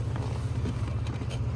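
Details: Chevy Blazer: deep, uneven idle rumble with faint breathy puffs, an exhaust leak at a blown flange gasket.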